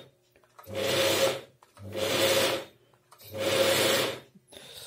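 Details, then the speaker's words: Chaika 132 sewing machine electric drive that won't run: flexing the power cord makes the motor hum up in three short bursts, cutting dead between them; one wire in the supply cable is broken at the bend. "есть вот здесь перелом одного из проводов что делать можно купить конечно новый кабель как вариант"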